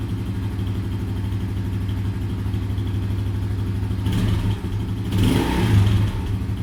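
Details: Yuki Gusto 50cc Chinese motorcycle engine after a shop botched the valve adjustment: coarse, uneven low idle beat, then two quick throttle blips; rough running, valve clearance suspected.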